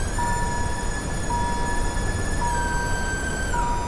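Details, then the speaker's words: Electric power steering pump on inline-6 turbo 8-speed swapped Dodge Viper, key on; steady whine stepping up in pitch as duty-cycle knob is turned up, slightly unsteady tone; owner suspects air in the pump. "So when I turn this key, so power up the actual car, you'll hear the pump. And the more I turn this knob up, hopefully you guys can hear that, it's changing the duty cycle of the pump."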